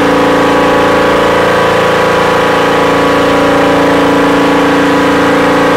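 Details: Volvo Penta engine: loud steady drone holding one pitch with a faint regular pulse, revs held flat and not climbing. The engine is going into limp mode; something may be hitting something.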